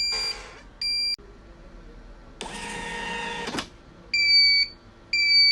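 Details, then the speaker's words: Birch CPQ3 receipt printer at power-on repeats short high beeps about once a second while the error light blinks continuously; not a paper error, the cutter cannot cut. "You try turn it on and hear the sound, a continuous beep sound with the arrow light blinking continuously. This is not a paper error."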